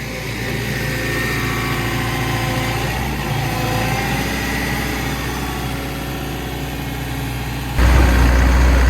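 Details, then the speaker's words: Excavator diesel idling with a steady low droning throb. The operator felt a vibration and another person heard it from outside the machine. Pulleys and bearings were checked and found fine, so the cause is unknown. "than hear it but I led from outside of the machine said he could hear a vibration um so I'm going to just check all these pulley and bearings down here first of all cuz that's most common for these engines"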